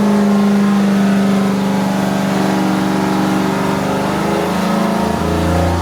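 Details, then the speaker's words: 426 Hemi V8 on a dyno, rebuilt after a holed piston, good oil pressure, carb secondaries open, rich mixture, during a timing test: hard full-load pull with a deep steady drone and no metallic ping; clean run. "P this time no I didn't hear any noises now we get advancing now"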